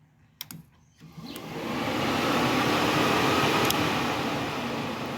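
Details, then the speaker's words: 2013 Chevy Sonic LT hatchback, overheating complaint, cooling fan high-speed relay manually energized: relay click then smooth steady whoosh, no rattle; the car's single cooling fan and its resistor work fine, though the fan wouldn't command on from the scanner. "fan turned on just fine this would be like our to speed that turns out just fine this car only has one fan on it so there's nothing wrong with the cooling fan or the resistor attached to it cuz all of that seems to be working"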